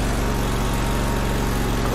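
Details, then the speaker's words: Grasshopper zero-turn mower, rebuilt Kohler CH25S twin (new piston rings, head gasket) on first drive, below full throttle: deep, even V-twin beat pulling strongly with no misses or knocks; plenty of power, healthy. "wow plenty of power i'm gonna go to this throttle i'm gonna throttle it back"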